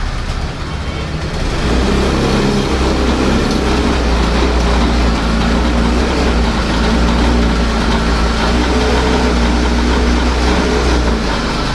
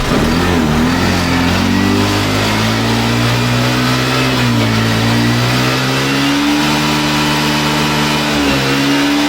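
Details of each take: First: Older-model Access 125 scooter: engine starts but jerks, misfires and bogs down when revved, running rough with a wavering, sagging beat; may stall at full throttle; air leak at intake hose from missing bush inside the hose. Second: Access 125 scooter, warmed up, after fitting the missing bush inside the hose pipe to cure repeated misfiring. Revved up and down cleanly, pitch rising and falling smoothly with no stumbles or skips; firing evenly, misfire fixed.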